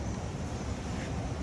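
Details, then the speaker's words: 2012 Hyundai Tucson 2.4 L engine running: deep, rapid bottom-end knock; bearing and connecting rod done, a common problem on this 2.4 engine, which needs swapping or replacement. "But this engine is knocking, bottom end knock, crack, and bearing and connecting rod are done. It's common problem in this 2.4 engine."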